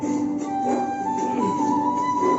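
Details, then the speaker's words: Home theatre system giving no bass even with bass turned up: music thin and tinny with no low end. "तो आज हम इसके base को repair करेंगे, जो कि इसमें बेस थोड़ा भी नहीं दे रहा है, आप सुन सकते हैं।"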